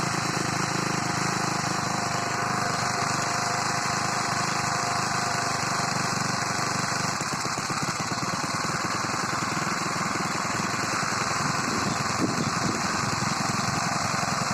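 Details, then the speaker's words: Moped small four-stroke carbureted engine, newly fitted carb filter, first ride: loose, uneven metallic rattle from the top end over the exhaust; owner says timing chain rattles, unconfirmed. "как вы заметили гремит цепь грм"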